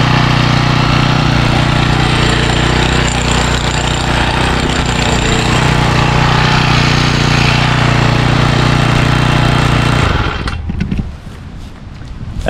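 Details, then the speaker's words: 2012 Honda HHT35s trimmer with a 35cc four-stroke on Pennzoil 10W30, after a cold start on choke with about three primes; steady, even buzz and minibike-like idle with no misses or rattles, then shut off. Runs healthy. "it runs great and uh it's so quiet and it sounds like a minibike at idle and it's very powerful"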